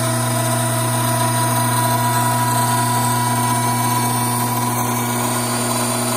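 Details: Hydraulic pump with restricted inlet cavitating: steady whine under gritty crackling rattle; inlet vacuum rose from 3 to almost 16 inHg, pressure fell from 310 to just over 200 psi, fluid temperature rose from 87 to almost 100°F.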